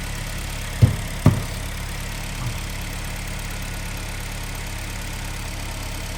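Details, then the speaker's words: 2010 Hyundai ix35 with G4KD engine, front-wheel drive, manual, 350,000 km, catalytic converter removed: after two stray thumps, a quiet steady even idle with no knock, running much better than before. "Нормальное ну работает вроде неплохо значительно лучше чем было да"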